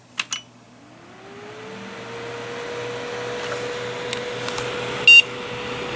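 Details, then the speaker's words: Home-built PC with ASUS Q-Fan smart control, DC 3-pin CPU fan on a PWM header: a couple of beeps, then the fan spins up to a steady airy whirr stuck at full speed with no speed control; not super loud but moves a lot of air. "This system is supposed to have a ASUS Q Fan Smart Control, but as you will be able to no doubt hear,"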